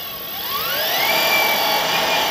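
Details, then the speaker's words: Electric go-kart build, newly wired and programmed controller, motor spinning unloaded in forward with a non-error warning light: high-pitched whine climbs smoothly then holds steady; motor running normally. "oh i hear it oh dude that sounds really cool that's really high pitched"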